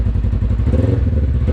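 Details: 2020 Polaris RZR 1000 XP High Lifter after All Balls fuel pump replacement, started with brake held: even throbbing low-pitched beat settling at idle, no misses or clatter; engine runs fine, no leaks.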